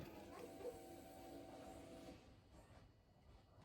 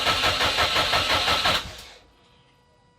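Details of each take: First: Subaru Impreza WRX-to-STi rebuild, key on before first start: steady smooth electric fuel pump hum for about two seconds then clean cutoff; normal priming, earlier weird pump noise now gone. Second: Subaru Impreza after full rebuild, first start attempt after three years: even starter cranking about three turns a second for a second and a half, never firing; crank no-start.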